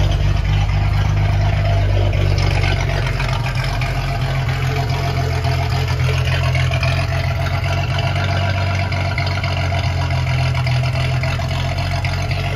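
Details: Ford 300 inline six, first fire-up with newly finished turbo header, exhaust cutouts open: deep, steady, even idle with a low rumble, no misses or knocks; normal idle.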